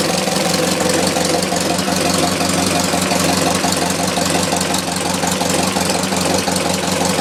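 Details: 1919 Ford Model T Speedster, under 1000 miles since engine rebuild, idling: slow steady idle with a dull knock about three times a second, recorded inside the firewall where loudest; also heard accelerating or cruising, cause unknown.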